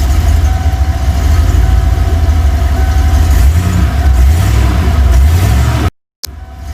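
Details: 302 V8 after engine swap, once the rough-running problem was sorted: deep, steady rumble with an even low beat, no knocks or misses, then shut off; sounds healthy.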